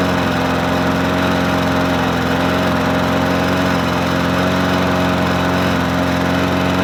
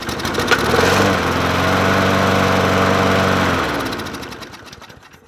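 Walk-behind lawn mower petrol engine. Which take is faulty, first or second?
second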